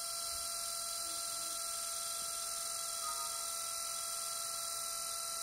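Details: Six-day-old Lenovo B570 laptop: steady high-pitched whirring fan whine with buzzy edge that never lets up, worsening from earlier strange fan noises; fan running abnormally noisy, cause suspected, not confirmed.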